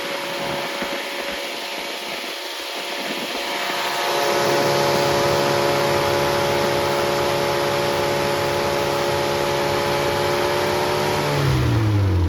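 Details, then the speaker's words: Freshly rebuilt Triumph Spitfire 1500 engine (also fits MG Midget 1500), 270-duration cam, 9.5:1 compression, 185–195 psi, 75 psi oil at start; fuel pump ticking, then starts and runs smooth and even at steady fast idle; healthy, ready to go. "So we'll fire it up, let you listen to it run, and that noise is that you hear is the fuel pump."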